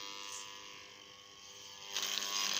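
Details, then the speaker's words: Rotor under test on a growler: steady electrical magnetic buzz turning harsher and brighter partway through, no rattle or chatter; a hacksaw blade held over it is not attracted, so the rotor tests good. "Voilà, il est sous tension. Faire attention de ne pas mettre mes doigts, il faudrait que j'isole les soudures. Là, ça tient. On entend le magnétisme."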